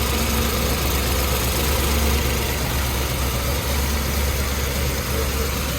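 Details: C7 Corvette Z06 V8 after Hennessey 850HP install (heads, cam, exhaust, intake, catch can), just started: deep steady rumble holding even idle, no knocks or misses; normal idle.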